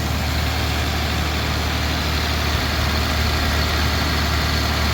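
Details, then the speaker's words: Mazda 323F V6 at first start after battery terminals were packed out, cold with a very loud tick; steady, even idle sitting noticeably high, not hunting, adjustable via the idle screw; an exhaust blow is also present. "so the idle's high but that could be adjusted looks like the screw adjust screws down at the top um it's not hunting so looks like the vacuum leak to"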